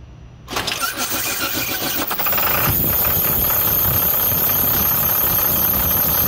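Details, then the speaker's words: 2006 International 4300 DT diesel: engine cranks and catches, then a thin steady squeal rides over the idle; belt slipping on a bad, seized tensioner pulley that will burn off the belt if run. "are you hearing that noise from your DT for to sit or you're experiencing this problem chances are you have a bad tensioner if you continue to run it it's just going to burn off the belt"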